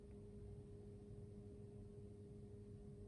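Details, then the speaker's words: New Zealand Tesla Model 3 parked during its first software update, not plugged into the charger: steady low buzz with faint higher hum, like a washing machine starting; source unknown. "so it's like there's a really weird buzzing it's not plugged into the charger by the way I don't know what that buzzing noise is but"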